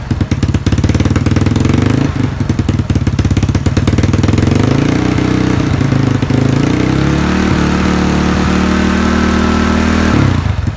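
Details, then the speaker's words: Yamaha Mio scooter just fitted with a Moxis 58.5mm bore-up block without squish head, 58 piston, stock valves, stock "bobok" exhaust: it fires up, settles to a steady idle, then revs up and down cleanly with even firing and no knocks, running healthy. "Oke, ini piston 58 klep standar memakai knalpot standar bobok."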